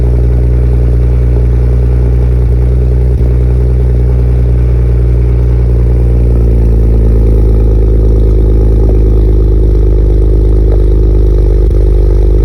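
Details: BMW E92 335i N54 engine running: loud lumpy run with irregular stumble in exhaust beat, about three pulses a second; suspected injector misfire, not confirmed.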